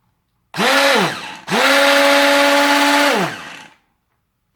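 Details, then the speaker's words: Tefal Optiblend 1000 W hand blender, power button held down: two bursts of loud, high motor whine that rises quickly, holds a steady pitch, then winds down; quite noisy but normal running. "Bu 1000vat olan model biraz ses çıkartıyor açıkçası Bu gördüğünüz gibi bu şekilde bir ses çıkartıyor bu abone ol"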